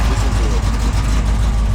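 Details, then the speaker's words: 1978 Ford Bronco, freshly rebuilt matching-number 351M with Comp Cams 284HR hydraulic roller cam, Edelbrock Performer intake, MSD distributor: deep, steady V8 idle rumble, no ticking or knocking; good temperature, high oil pressure; normal idle before test drive. "this is what it's going to sound like in the curb nice temperature oil pressure nice and high"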